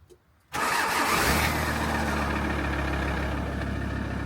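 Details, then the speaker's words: VW T4 diesel van starting in winter (early January): starter spins with high thin whine for first second, then engine catches and settles to idle; starter suspected overspinning/failing, replaced regardless. "if you put power to one of these directly, then it turns so fast because it has no resistance. I'm guessing that's why it sounds like."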